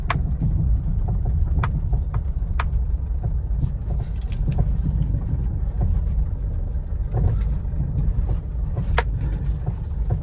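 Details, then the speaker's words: Ford Figo type 1, car shaken while stationary before replacing lower arm and stabilizer link: sharp, irregular clunks over a low rumble from the worn stabilizer (balance rod) link. "இதோட ஸ்டெபிலைசரோட noise வந்து வந்து பார்த்தீங்கன்னா இப்படி வண்டி நிக்கும்போது நீங்க ஷேக் பண்ணாவே அதோட நாய்ஸ் தெரியும்"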